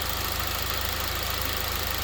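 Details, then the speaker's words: Honda Civic Type R EP3, four-cylinder, after throttle body clean: steady, even idle with smooth low drone, no knocks or misses; running normally. "So they spark, the fuel goes in to the cylinders, and then the air whooshes in, and then it makes a little explosion. So right now, there are 4 explosions happening."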